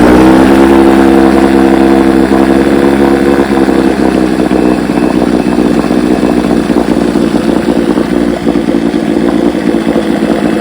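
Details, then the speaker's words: Rebuilt 1971 Evinrude 9.5 HP outboard, model 9122R, barrel test run: steady even two-stroke buzz holding rhythm, no misses or knocks; running clean and healthy. "Got the hood right here painted up with some new trim put on it, and she runs great. Watch how this thing starts. Runs pretty darn good."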